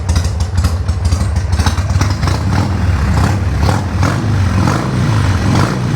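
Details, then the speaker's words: Harley-Davidson 1200 Sportster just re-jetted without removing the carburetor, started on choke. Loping V-twin beat, revs blipped then settling back, firing evenly with no misses or popping; normal, healthy idle. "Man, this thing sounds so good."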